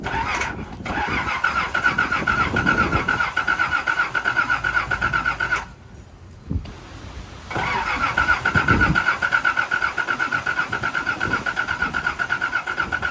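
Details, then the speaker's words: Nissan 300ZX Z31, fuel filter just replaced: starter churns steadily at about four beats a second, no firing, brief pause, more cranking; cranks but won't start, owner suspects the in-tank fuel pump, not confirmed. "Yeah, I think it's definitely that uh fuel pump. I bet you if I take off this fuel filter right here, nothing's going to spew out, but it's all good."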